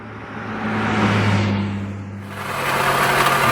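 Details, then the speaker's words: 2016 Toyota RAV4 2AR-FE, 185k miles, at idle. Loud rattling racket with squealing tone. Failed belt tensioner pulley sitting cockeyed with the belt only partly on it; bearing suspected bad; tensioner replaced. "is the racket that this thing is making, and it is loud. And I noticed right down here, you can see it, the tensioner for the pulley is cockeyed."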